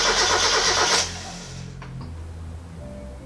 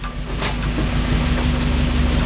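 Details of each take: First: NA Miata engine just reinstalled with intake fitted, oil and coolant added; two bursts of brisk cranking, a few seconds each, never catch or fire because the fuel lines were reversed, so no fuel reaches the engine. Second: NA Mazda Miata on its first start after an engine, transmission and exhaust install, with the swapped front and rear fuel lines now corrected: it holds a steady, even idle just after starting, with no misses, knocks or hunting. It is running normally.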